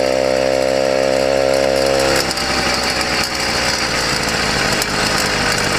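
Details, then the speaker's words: YD100 two-stroke motorized bicycle engine, running buzzy at high revs with a rough, uneven clatter once hot; a top-end rattle that appeared only after warming, with something chattering up top but not hitting. "yeah that's a rattle in the top [Music] it didn't make that noise until it heated up"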